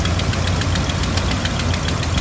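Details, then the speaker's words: Engine started after an alternator replacement, with a known exhaust leak still to be fixed. Fast, sharp ticking about seven or eight times a second over a low, steady idle rumble: exhaust leak puffing. "so anyway I'm gonna start it out and don't worry the exhaust leaks the next thing to get fixed"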